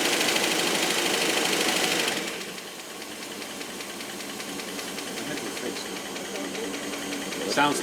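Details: Rolls-Royce Silver Cloud III after fail-to-proceed repair with new coil: engine settles into steady, even run with light regular tick, usually hydraulic lifter tap, firing on all cylinders.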